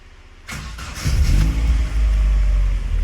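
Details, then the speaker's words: Mk1 Cavalier that hunted while driving because a sensor wire was rubbing on the head and shorting. With the wire taped and run outside the head, it starts and idles steadily with no hunting and the engine management light stays off. "Okay, I've taped it up, and I've just run it on the outside of the head at the moment, and it's running absolutely fine."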